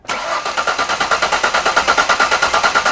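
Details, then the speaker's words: Six-cylinder engine with coolant leaks, fuel pump relay pulled for a relative compression test: starter spins at a steady three pulses a second with equal beats and no compression loss on any cylinder. "sup you can hear there's no sound of compression loss on any one cylinder"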